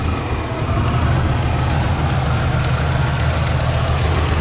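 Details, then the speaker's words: 1967 Buick Skylark with a big-block 455 V8, headers and dual exhaust, idling warm with a deep rumble and an inconsistent, puffing, air-sucking tick; an exhaust leak on one side, distinguished from a lifter by its inconsistency. "right in here you can hear how inconsistent it is that's probably the best way to tell between a lifter and an exhaust leak is loose it has inconsistency sounds like it's sucking air too"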